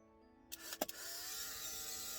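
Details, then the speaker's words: Polaroid SX-70 camera being repaired, earlier knocking sound: a few sharp shutter clicks, then a steady high motor whir that keeps running; the motor runs but the picture is not ejected. "doesn't spit the picture out that's fine"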